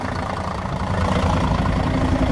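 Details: Setra S 315 coach (fleet no. 83, six-cylinder diesel) at idle: steady, even low rumble with no knocks or misses; the engine sounds healthy.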